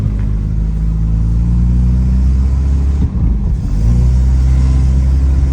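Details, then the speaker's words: 1991 Volvo 740 wagon on its first drive, hard to start: heavy, uneven low rumble and burble that stays loud as the engine pulls; owner says it definitely has an exhaust leak. "It definitely has an exhaust leak. So, I'm going to leave the windows open."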